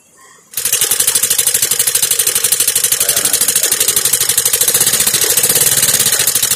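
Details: Suzuki Access 125 scooter at idle: sharp even metallic ticking about three per second, a tappet tick because no oil reached the tappet; a clogged, hardened oil filter starved it, lightly wearing the rocker; the filter was replaced to restore oil flow.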